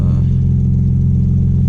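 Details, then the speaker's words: Audi B5 S4 just after new 3 bar MAP sensor and tune flash, engine still cold, fuel trims still adapting. Steady, even low idle with no misses, knocks or hunting; normal cold idle. "start reading a little better once the engine warms up. It's still cold. But yeah, it seems to rev normal."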